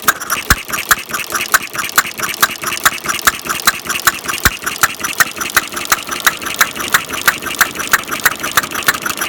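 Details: Half-scale Domestic side-shaft hit-and-miss model engine, hand built from castings, 9-inch flywheels, make-and-break ignition, gravity-fed fuel tank in block, cold day, set to run fairly slow: sharp evenly spaced firing pops about twice a second; normal clean hit-and-miss running.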